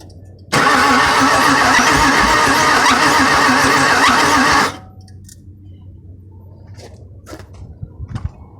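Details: 2002 Mustang GT: starter cranks the engine steadily for about four seconds, then stops without ever catching. Cranks but won't start.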